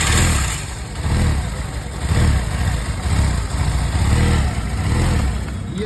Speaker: तो जैसे गाइस देख सकते हैं हम लोग ने इसका फाइनली काम कर दिया इंजन का प्रॉपर्ली और अभी इसका हम साउंड सुनाएंगे